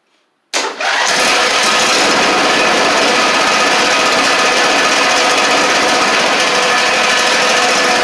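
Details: John Deere LA130 Briggs V-twin, first start after swapping the cylinder head for a bad valve guide that had it on one cylinder: quick start, then an even steady drone with no misses; both cylinders now firing normally.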